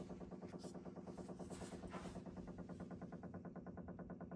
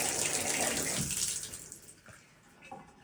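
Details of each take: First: Low steady hum with rapid, even pulsing carried through the pipes feeding a Delta shower valve and a toilet, stopping when any of three supply valves is shut; water hammer from a failing pressure-balance cartridge, fixed by replacing it. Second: Even hiss of running water that tapers off with no knocking or banging, after installing a new Delta pressure-balance cartridge (hot limit turned about 15°) that cured a month-long pipe knocking; normal smooth flow.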